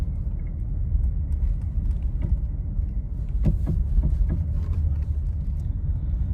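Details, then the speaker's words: Nissan Rogue with newly replaced engine, driven over the same parking-lot bumps after the sway bar link not tight against the strut was found as the likely knock cause: low road rumble, soft thumps, no clunk or knock. "Same bumps. Let's listen for noises. Sounds pretty quiet to me."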